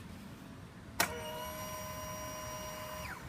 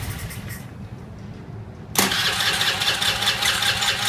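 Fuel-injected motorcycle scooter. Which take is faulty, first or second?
second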